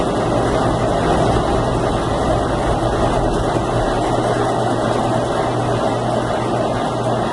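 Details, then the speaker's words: Consul Facilite 10 kg washing machine during spin: loud steady deep drone with low hum, like a helicopter inside the drum; cause still undetermined. "m eu vou dar uma olhada nela pra gente descobrir o que pode estar fazendo esse barulho de helicóptero dentro da máquina."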